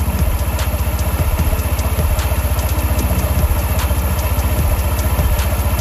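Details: TVS Jupiter 125 scooter after CVT variator and clutch maintenance, CVT cover still off: fires up and settles into a quick, even putter near three beats a second, with nothing rattling from the open belt drive; normal idle.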